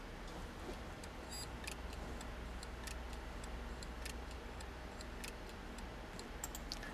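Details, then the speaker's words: Half-dead Toshiba hard drive fitted with a second donor head assembly: faint irregular ticking, about two clicks a second, over a low hum, the same clicking as with the first donor; the donor heads don't match. "the second donor did not match up as well and the drive is making same clicking sounds as it did with the first donor that I used from my stock"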